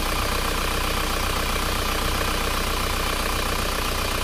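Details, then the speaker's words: Isuzu Panther diesel at idle after repairing the clogged PCV valve in the valve cover by cutting its spring; steady even clatter, hissing gone, no crankcase pressure at the dipstick or oil filler cap; normal. "Lihat teman-teman, suara mendesisnya sudah hilang, jadi sudah tidak keluar suara mendesis lagi. Jadi suaranya sudah normal."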